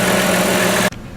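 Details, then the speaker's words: 1998 Chrysler Town & Country 3.8 L running at idle after replacing the number 1 fuel injector. It idles steadily and smoothly with a low hum, no misfire or ticking, the normal Chrysler noise. Afterwards the OBD2 scan shows zero faults, so the cylinder 1 faults appear cured. "so we've started the engine here's to be running smoothly making the normal kind of Chrysler noise"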